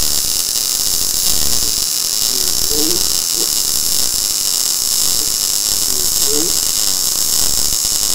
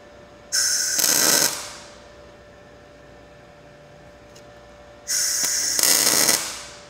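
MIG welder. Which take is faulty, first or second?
second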